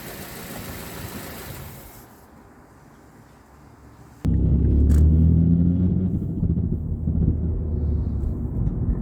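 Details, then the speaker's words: 2006 Mazda 3 2.0L on a road test during normal driving: a low rumble with light rattling ticks and occasional pops, no loose heat shields. Worn engine mounts are suspected, and the mounts were replaced. "You can hear the rattling and the popping noises as you're just driving normally. I have already confirmed that that there's no loose heat shields or anything like that."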